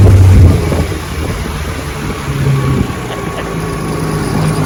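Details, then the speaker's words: 1960 Johnson 10 hp outboard on a 14-foot Feathercraft on the lake, about 70 degrees, after gearcase rebuild and carburetor adjustment, full throttle at about 18 mph: strong steady drone with wind, even and clean, no misfire or gear noise. Normal full-throttle run. "Open her up and show you how she runs. Perfect."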